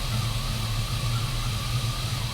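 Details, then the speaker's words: Sierra truck with a 4.3-to-5.3 V8 swap and a brand-new alternator charging about 14.3 V: a clear, steady, slightly wavering high whine over a smooth idle; the owner suspects the alternator or its bearing, unconfirmed. "i feel like the alternator is making it sounds like it's a little whiny to me and generally that means the bearing is no good but it is brand new"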